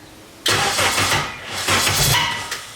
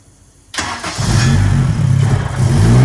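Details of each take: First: K24-swapped Nissan Cefiro, first start attempt: starter cranks with uneven surges that almost catch but never fire, seems to lock up, lots of fuel; crank no start, ignition timing suspected off. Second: K24-swapped Nissan Cefiro first start, timing locked at 0 degrees, base tune unchanged, turbo oil feed not yet connected. One quick crank, fires straight up, revs smoothly and settles to steady even idle; normal start.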